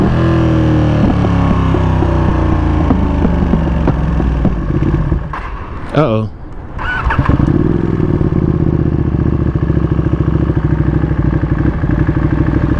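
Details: 2021 Ducati Panigale V2, one year old, twin cylinder: steady running drops abruptly to near silence when the clutch lever is pulled at about 14 mph, then comes back; the engine stalls with the clutch in, a recurring problem with unknown cause.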